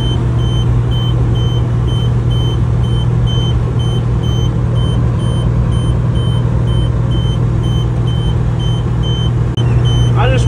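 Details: 1999 Kenworth W900L truck shortly after pickup, half a mile from the seller: sharp high beeps repeat almost twice a second over a steady diesel rumble, the low-voltage warning buzzer sounding; gauges and temperatures read normal.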